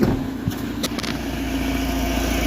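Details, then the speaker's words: Mahindra XUV500 that would not start after an engine rebuild (originally low pickup from high blow-by), now starting after fuel pressure checks: catches quickly and settles into a steady, even idle with no knocks or stumbling; sounds healthy. "तो यह normally start हो रहा है गाड़ी यहां पर smoothly start है"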